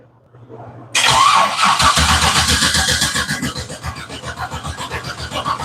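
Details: Holley-injected engine build: starter cranks steadily about four beats a second and engine never catches; a fuse circuit has no voltage, though fuel pumps turn on. Crank no-start.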